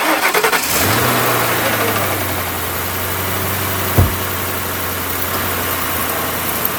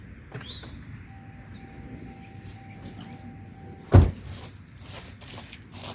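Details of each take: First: V8 whose battery read only 9.7 V, jump-started with a small portable jump pack: a few quick clicks, then the engine catches at once and settles to a steady, even idle. It starts cleanly. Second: Old Crown Vic V8 that sits a lot and always has a low battery, started with the key: a chime, then one heavy clunk as the starter barely turns the engine once and stops; the battery is too weak.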